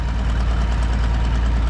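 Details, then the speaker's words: Minneapolis Moline A4T tractor on a shakedown drive: slow steady idle with light rapid ticking over the low thump from an exhaust manifold leak on one side. "You can hear that exhaust manifold leak on this side,"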